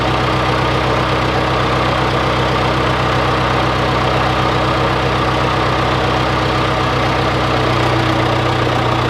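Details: John Deere 410C backhoe diesel in winter cold, idling: a steady low rumble with even clatter, speed constant, no misses or knocks; idles smoothly.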